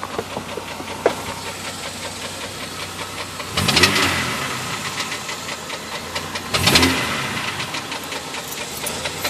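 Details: Jeep Grand Cherokee petrol engine idling with a rapid steady knock and a few louder bursts; owner considered the flexplate but the noise seems to come from further forward, mid to upper engine; cause unknown.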